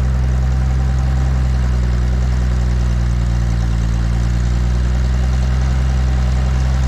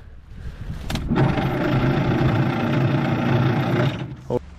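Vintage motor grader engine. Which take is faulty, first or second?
second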